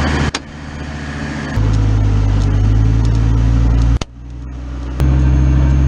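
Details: Deep, steady drone rising and dropping in steps as the drivetrain engages; suspected 4L60E transmission or transfer case, unconfirmed.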